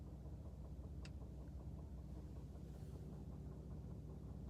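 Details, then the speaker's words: 2017 Ford F-150 Limited 3.5 EcoBoost idling parked: faint light tick about two per second over the low rumble, worsened and sped up over time; goes away when revved, returns off throttle, not heard while driving. "F-150 Limited 35 EcoBoost it gradually started getting this ticking noise wasn't too bad was loud at first wasn't this fast and uh it started picking up over time"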